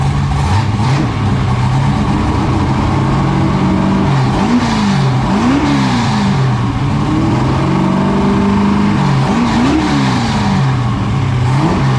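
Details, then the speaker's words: 1969 Camaro restomod, 496 big block already broken in on the run stand, first start in the car with the new exhaust and cutouts open: a deep, loud V8 burble with crisp throttle blips and no misfire or knock; it runs well. "we heard the exhaust it sounds amazing chris is extremely happy with it"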